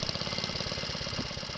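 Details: Wheel Horse 704 garden tractor Kohler engine, warm idle after restart with realigned recoil starter: quick, even putter, steady firing pulses, no knocks, misses or hunting; idling cleanly.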